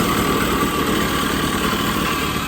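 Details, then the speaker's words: 1980 Puch Murray moped with a Tomos A35 top end, Mikuni VM18 carb and custom Estoril pipe, just after its first start at -7 °C with the engine super cold: steady buzzy idle with an even rasp and no knock; jetting not yet set. "It's currently -7 degrees outside, so it's probably gonna take a little while to warm up."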